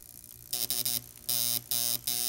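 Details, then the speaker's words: Panasonic RC-1280 flip clock, case opened, alarm buzzer driven by the motor's rotating magnetic field; harsh buzz cutting in and out in uneven bursts like Morse code; erratic alarm buzzer, clock needs a lot of help. "and it seems to be efficient, but it's really kind of backwards. That thing sounds like Morse code."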